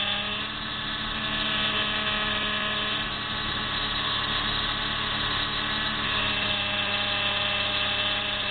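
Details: PT Cruiser: a steady, high, drill-like whine over the running engine, present on starting and when turning the steering wheel. Power steering pump starved by low fluid; refilling the fluid fixed it.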